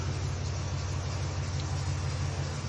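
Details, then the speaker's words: Jeep Liberty after replacing the rear exhaust from muffler back and tracking further leaks: deep, even idle rumble, no ticking or puffing, holds sealed when revved; only some belt squeaking heard; normal idle, no exhaust leak. "All right, as you can hear, just some belt issues, squeaking a little bit, a little whatever, but there's no exhaust leak. You can rev it, no exhaust leak."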